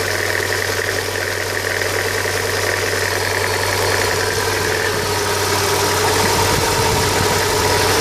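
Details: 2000 Hyundai Coupe 2.0: fast ticking, about three per second, over the idle, then a rising whine joins as revs climb; source not pinned down; abnormal engine noise.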